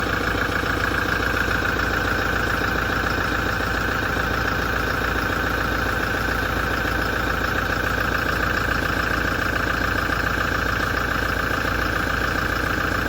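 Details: 2017 Toyota diesel at idle after a major service: a regular metallic knock, three to four times a second, over a harsh grinding, vibrating rattle.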